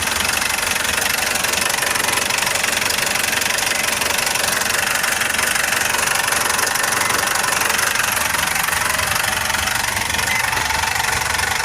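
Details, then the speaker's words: Foton Traveller CRDI diesel idling after clearing fault codes P0088 (fuel rail pressure too high) and P0254 (fuel metering control): even injector clatter at a regular beat, no heavy knock; the knocking has disappeared. "Yung tunog ng makina guys, mapansin nyo, iba na. Hindi na, wala na siyang knock."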